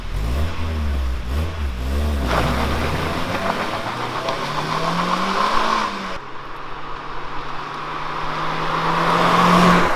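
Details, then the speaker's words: Mk1 Mazda MX-5 Miata on its old original standard exhaust, before custom catback: smooth even idle, clean blips up and back, steady unremarkable exhaust note; pretty standard sounding, healthy stock setup. "Yep, pretty standard sounding."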